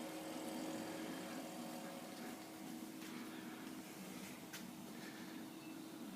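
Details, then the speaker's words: Waeco CF60 fridge after Ver A to Ver B electronics conversion, lid closed, set to 5°C from 23°C, battery setting medium: steady low hum with faint constant tone, no knocking or rattle; compressor running normally. "Just put my lid on. Can hear the compressor"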